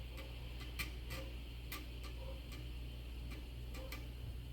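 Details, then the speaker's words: Macintosh 800K External Drive (M0131) after repair, booting an OS 6 disk: irregular light ticks and short head clicks over faint hum; drive seeks and reads normally, machine boots. "wow look at that that is a working floppy"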